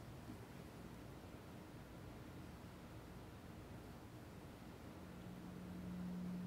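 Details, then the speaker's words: 61-year-old Mallory electrolytic capacitor from a 1960 Fender Tweed Bassman amp on a leakage test at about 340 volts: low rumble, then a steady hum swells as leakage current climbs almost completely. "you can hear it's humming a lot more on this one now see it's leaking almost completely"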